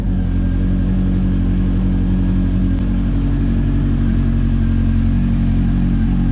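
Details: Honda CB400 V-Tec that sat for years, first run after fuel pump replacement: smooth, even four-cylinder hum with a steady low beat, no misfire or stumble; all four cylinders firing despite worries the injectors were blocked.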